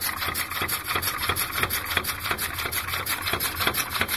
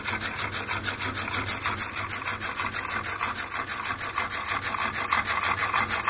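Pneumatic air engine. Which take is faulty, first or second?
first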